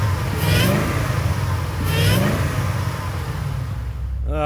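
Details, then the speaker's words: Supercharged Mustang V8 at salvage auction, likely non-stock pulley and VMP heat exchanger, possibly on E85 after a rough start: deep, steady idle with even firing and supercharger hum; sounds healthy. "Everything in the engine bay looks and sounds great. Even at idle, you can hear that eating supercharger just humming along."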